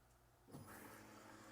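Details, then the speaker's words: Chevrolet Silverado no-start with zero fuel pressure: with jumper wires across the fuel pump control module connector pins, a soft click is followed by a steady low hum with a faint whine. The pump and wiring are good, so the module is the culprit. "Okay, I'm sure you guys could probably hear that, but the fuel pump is running."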